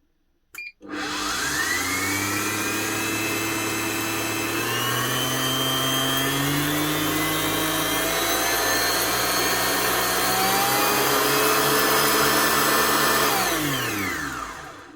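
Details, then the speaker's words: Kenwood Titanium Chef XL mixer motor after replacing worn brushes (E29 stopping fault) and cleaning an internal oil leak. Steady, even whine with no more spluttering, slight grease noise; normal motor run. "Now, does that not sound a lot better? No more spluttering coming from the motor."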